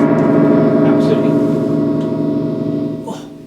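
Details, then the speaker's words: Fender Twin Reverb amp being moved: reverb tank gives a loud metallic boing and crash that decays slowly, showing the reverb return is working; the send is still untested and the tank leads look poor. "i went to move it and heard the reverb tank making a racket so i'll just do that again"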